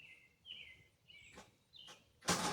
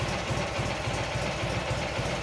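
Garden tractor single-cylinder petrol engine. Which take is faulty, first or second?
first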